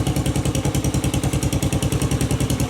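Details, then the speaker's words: Postie bike Mad Max build, small single running with pod filter and cut-open exhaust: deep, even thumping about ten beats a second with a sharp popping edge; runs cleanly, sounds great as is. "that sounds pretty cool just as it is got a real pop to it just give that a bit of a rip bloody fantastic"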